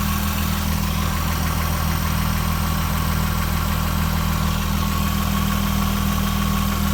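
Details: Jaguar F-Type V6, 8000 km, cold start idle; fast, even, mild light knocking, heard low on passenger side (LHD), fading after a few minutes; owner guesses piston slap, unconfirmed.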